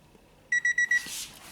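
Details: 1995 Honda Civic del Sol: four quick high beeps, then one more; a dent stops the door jamb switch closing, keeping lights on and draining the battery; fixed by shifting the plate.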